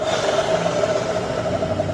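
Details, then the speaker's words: Suzuki NEX scooter idling before CVT service: a steady high whirring with a rough scraping edge from worn rollers and slide plate. The owner also wonders whether the final-drive gear oil is dry or a clutch bearing is cracked. "เดี๋ยวจะสตาร์ทให้ฟังเสียงว่ามันมีเสียงดังครับอ่านี้เนี่ยมันดังนั้น"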